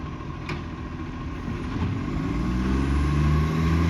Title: Cessnock Garbage - Exhaust leak